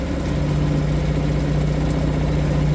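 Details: Suzuki 2.5 HP DF four-stroke outboard that wouldn't start because of the oil level sensor, oil refilled with proper 10W30: steady, even low putter with constant tone, no misses or knocks; idling smoothly and healthy.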